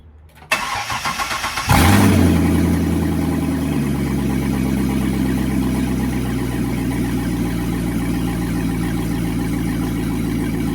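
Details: C6 Corvette with a newer LS2 V8 swapped in, first start after fitting a converter box so the ECU could read a sensor, no coolant yet: brief cranking, then it catches with a rev flare and settles into a steady, even idle; good oil pressure, healthy start.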